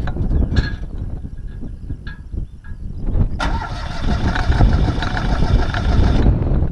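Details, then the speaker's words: Citroën 2CV after running the tank very low: starter churns with uneven bursts, then the engine catches and runs roughly; fuel starvation, fuel pump tested fine, owner suspects a clogged needle valve or hanging float, carburettor bowl found empty. "I think it's the needle valve in the carb that gets clogged, because sometimes it just cuts out and I can't get it to run."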